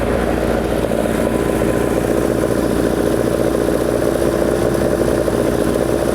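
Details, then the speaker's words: Typical 2-litre engine on oversized 45 carburettors with big jets, velocity stacks and too-large chokes: an uneven, lumpy idle with loose clatter at about 1000 rpm, settling near 950. "this is the age old problem of too big is just simply too big we have these massive 40 5s with massive Jets and velocity stacks and all these wonderful things but at the end of the day it's got gigantic chokes in it"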